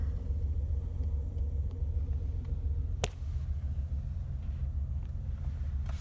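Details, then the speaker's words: 1988 BMW 325 sedan, warming up after cold start: quiet, even low rumble at steady idle, no misses or ticks, one brief click aside; idles normally. "Lights, no weirdness. She just idles like she should."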